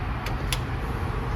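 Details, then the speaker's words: Rusty truck last run around 1992, engine believed seized, jump box wired directly to starter: two sharp solenoid clicks a quarter second apart, no cranking; either engine badly seized or starter bad, not confirmed. "And like I said, you can hear the solenoid, you can feel it try to pull, but still nothing. So either it's like super duper locked or that's a bad starter."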